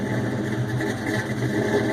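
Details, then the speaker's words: Ford Mustang GT 4.6 with Trick Flow stage 2 cams, BBK long-tube headers and X-pipe, supercharger not yet installed, cold first start, heard from rear: loping idle swelling and dipping over seconds; untuned, surging, then stalls. "Yeah, you can see it's, not tuned, so it's surging a little bit, but it's got some lope to her."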